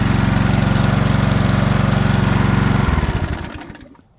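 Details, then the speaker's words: Flathead Briggs and Stratton small engine after carburetor replacement, fueled with 91-octane ethanol-free gas: fires on the first pull, pops along evenly at steady speed about three seconds, then coasts down and stops; normal running. "And then you should be able to take your pull cord, give it a pull, and it should fire right up. Just like that."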